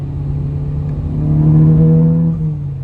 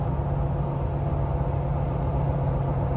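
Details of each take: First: Volkswagen with a misfire, shown while replacing a confirmed bad coil pack on a Jeep Wrangler: engine revs and settles with a rough, lumpy, machine-gun-like stumble typical of a cylinder dropping out. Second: Jeep after a misfire repair, 50 mph in sixth gear at very low rpm on 37-inch tires, climbing a hill: deep steady drone, even and smooth with no stumble or misfire; normal running under load.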